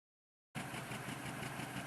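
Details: 2007 Mini Cooper R56 petrol engine misfiring at warm idle with a slightly uneven, stumbling low throb. It runs fine when cold.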